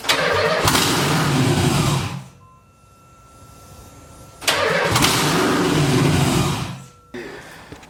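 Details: LS V8-swapped Nissan 300ZX first startup with fuel pump relay rewired to ground-trigger: two loud raw open-exhaust bursts, each catching about two seconds then dying; fires but won't stay running yet.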